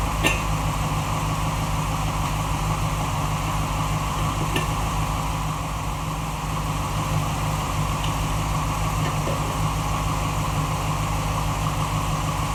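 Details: 1947 Ford Tudor street rod, freshly rebuilt zero-mile V8 with new 9.5:1 pistons and Holley carb: whistle cured, traced to the carb base; stuck-open secondaries freed; steady deep idle with even lope and no whistle.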